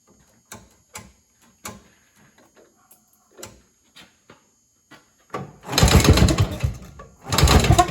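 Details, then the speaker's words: Evinrude Bobcat 25hp snowmobile sat 20+ years, runs only on fuel fed from a bottle because fuel bypasses the carburetor and drains back to the tank: scattered clicks, then uneven surging bursts that sag; carburetor not drawing fuel. "valve filter somehow in it because It is draining back to fuel, but that also could be because the carburetor is not doing its job."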